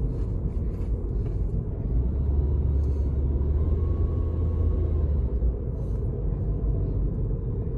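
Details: 2011 Suzuki SX4 FWD automatic, 96,888 km: faint high whine rises over engine rumble only when accelerating, fading when easing off; owner asks whether it is normal.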